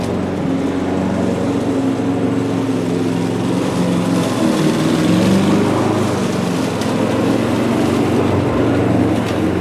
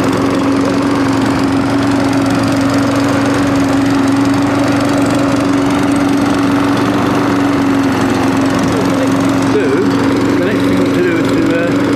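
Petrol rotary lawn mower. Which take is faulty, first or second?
first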